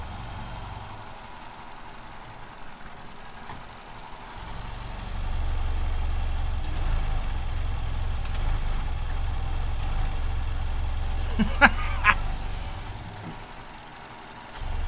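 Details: 2015 Vauxhall Corsa E with P0300/P0171 rough idle and lean codes, oil cap removed: idle swells and sags over several seconds instead of holding steady; hunting idle, cause not pinned down.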